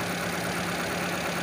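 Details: 2001 Kia Visto automatic, started after water pump replacement behind the timing belt cover (leaking coolant), timing belt and tensioner refitted; smooth, even idle with a steady low hum, no knocks, misses or leak: normal idle.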